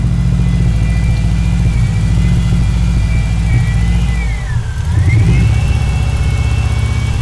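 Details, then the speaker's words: Freshly installed EJ20G engine in a Subaru wagon with a Robtune ECU and MSD coil pack, on first start, revved with throttle blips: strong steady note with a whir that dips and climbs; runs smooth, 90 psi oil pressure. "on the throttle right now sounds really good he's got 90 psi of oil pressure"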